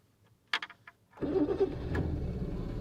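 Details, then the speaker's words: British Leyland Princess 2200 automatic, long-stored and mouldy, cold start on partial choke: a few light clicks, then the engine catches quickly and settles into a steady, even fast idle; healthy cold start. "there we go it's running that's nice"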